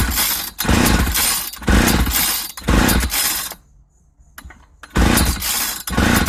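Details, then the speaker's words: 1995 Ardisam 8900 auger, about 20 years old, no start after new plug; on full choke with encouragement it catches in rough bursts about a second apart then dies each time, a suspected fuel system fault needing new carburetor, fuel line, filter, gaskets and tank cleanout. "There seems to be a problem with the fuel system. With the age of this thing, I'd say it's time for a good old-fashioned fuel system service."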